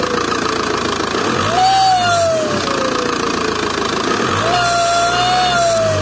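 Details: VW 2.0 TDI BKP 140hp diesel idling before repair, whistling tone rising, holding and fading twice, also felt at the turbo's warm side. The ringing turbo with seized geometry is confirmed; cleaning failed and a new turbo is needed.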